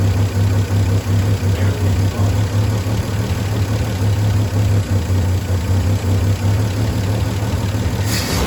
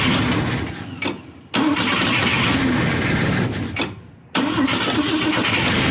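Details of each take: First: Volvo 164 B30 engine, running after sitting since 1994, cleaned and oil changed, no choke, water pump not connected. Steady even low rumble with a regular beat, no knocks or ticks; healthy idle. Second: Volvo 164 B30 engine, first start attempt since 1994 after a cleaning and oil change; oil pressure present, fuel leak noted, cylinder two plug found loose. Two long cranking spells without catching.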